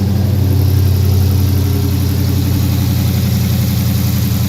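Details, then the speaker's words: 2017 Dodge Challenger Scat Pack V8 just after aFe GT Momentum cold air intake install, no check engine lights: deep, steady idle with even low rumble, no misses, ticks or surges; idling smoothly and healthy, with a different tone. "good. Definitely has a different tone to it now."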